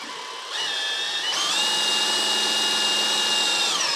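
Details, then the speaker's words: Mercedes 560SL (R107) power steering bled by spinning the pump with a drill while the wheels are turned back and forth: steady high whine that steps in pitch with steering load, no gurgle or air bubbles; pump and gearbox work normally. "The pump is working, or the gearbox is working exactly like it's supposed to work."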